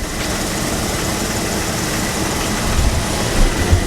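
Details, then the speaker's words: Engine with codes P0300, P0304 and P0320 running rough after spark plugs were replaced again, old coil pack fitted: uneven, stumbling idle with dull irregular knocks inside the engine, beat never settles; knock with misfire, cause unknown. "So guys, I don't know if you can hear that. It's like a knocking sound inside the engine."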